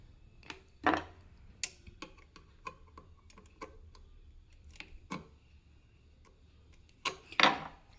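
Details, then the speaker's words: Singer 298 FashionMaker on zigzag, turned slowly: sharp metallic ticks, a couple per second, plus a few louder clacks as the bending needle strikes the back left of the throat plate; a needle bar position problem. "try the zigzag yeah see that it is striking the back of the throat plate at the left and the yeah it's striking okay give it a little nudge yeah you can you can actually hear it's quick you can hear it hit"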